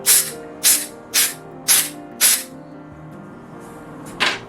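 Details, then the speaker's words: 1 lb propane cylinder being refilled from a 20 lb tank with a Gas One adapter, at about 22–25 ounces, target about 28: five short sharp hisses about half a second apart, then one more, as air is bled off; normal venting. "Okay, again, I'm going to let some air out. Okay, so right now we're looking at 24.9. You can hear the hissing sound there, almost like"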